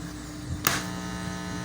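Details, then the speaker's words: Cheap MP3 module feeding an amplifier that drives reused speakers from a broken stereo; steady low fixed-tone hum rises right after power-on and persists, heard in Bluetooth and auxiliary modes; mains hum leaking from the MP3 module. "este módulo MP3 de acá es bien barato por eso no sé si escuchan ese zumbido en acá en el celular el que estoy filmando y en modo Bluetooth se escucha ese zumbido es un poco molesto"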